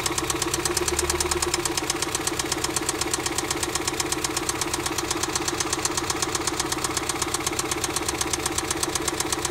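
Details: 1991 Mazda Miata, 200k miles, idling with a rapid sharp metallic knock mistaken for the common hydraulic lash adjuster tick; it turned out to be a spun rod bearing.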